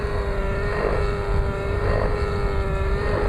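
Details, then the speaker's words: Nitro RC helicopter engine under pitch load: steady, soft, lazy drone sagging with no power yet sounding healthy, heavy smoke, quick recovery off pitch; needle set far too rich. "How do you know that this is a rich motor? Simple. You listen to it. It has no power, yet it sounds healthy."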